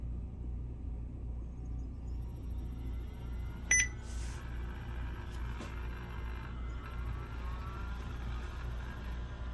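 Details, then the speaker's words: BenQ HT1075 DLP projector after color wheel replacement with a low-hour used wheel and new lamp, top off: power-on click and beep, then faint whine climbs and settles steady, normal color wheel spin-up. "All right, color wheel spun up. I like that."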